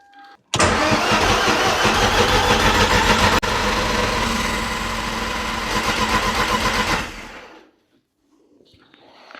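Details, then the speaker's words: Toyota MR2 with Audi 1.8T engine swap, cranking after the engine had locked up and was freed by hand: even starter cranking with a steady, regular chug, good compression. "It sounds like we've got good compression."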